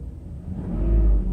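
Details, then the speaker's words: Mercedes SL600 V12 with an overhauled throttle body for an ASR fault: pressing the pedal about an inch lifts the deep rumble smoothly and it settles back without hesitation, a normal throttle response. "that's like maybe like an inch about pressing an inch so that's how it's supposed to be"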